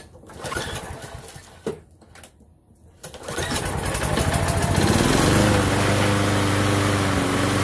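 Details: Lawnmower running again after ethanol gummed up its carburettor, old breather still fitted: after some fumbling it fires up and settles into a steady, even drone with no misses or surging. Normal running after repair.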